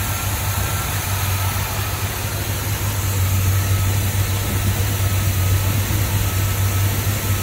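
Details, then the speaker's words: 1984 Chevy square body C20 service truck after new exhaust: deep, steady idle rumble with an even beat, no popping or stumbling, no smoke, sounds like a sewing machine; normal idle. "no smoke sounds like a sewing machine in here"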